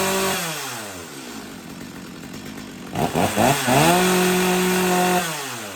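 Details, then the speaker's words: Stihl MS250 chainsaw, warm no-choke restart (owner reported trouble restarting when warm); carb found lean before, now set a little rich on both high and low speed screws; revs rise and fall with soft, burbling top end. "I definitely got it tuned a little rich on the high speed and the low speed both do a little turn back"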